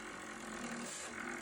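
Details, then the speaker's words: Pottery wheel trimming a noodle bowl: a buzzy, vibrating scrape as the blade, held at 90° to the clay, scrapes instead of shaves and chatters. The fix is to tilt the tool slightly and slow the wheel. "That is chattering, right? Chattering. Okay, chattering."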